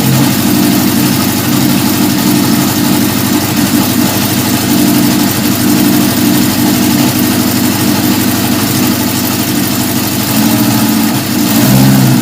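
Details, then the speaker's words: 1977 Honda CB750 F2 four-cylinder, first start after a complete engine rebuild, running on choke with a 115 main jet, stock air box and mixture screws 1.5 turns out. Runs steadily with some ragged, uneven blips. Owner suspects it is lean; not certain. "i'm only one and a half turns out it's kind of lit sound like it needs a little bit more gas so i might give it just a quarter of a turn out at a time test that out"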